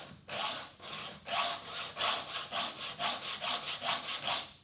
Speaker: See, you can hear it dragging backwards? That's damaging the cutters, and I'm going to show you under the microscope.